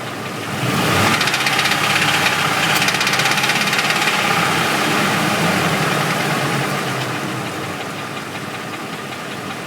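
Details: Ford engine idling: steady knock at about three per second over the idle, caused by a bent flexplate that took a while to diagnose.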